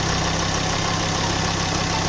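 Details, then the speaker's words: Ford Focus ST mk2 225 with RS mk2 2.5 spark plugs fitted, restarted after plug gaps reset (a too-close gap had caused a misfire): steady, even idle with smooth firing and no misses or knocks; normal healthy idle. "nice and smooth engine"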